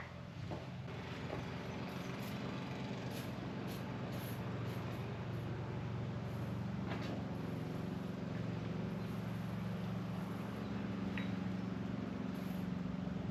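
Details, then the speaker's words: Hammerhead GTS 150 kart after the rattle fix (loose dashboard screws and pivot bolt tightened): steady low engine drone with no buzzing or knocking; normal running, no rattle. "Alright, so we fixed our rattle. As you can see here, no more noise."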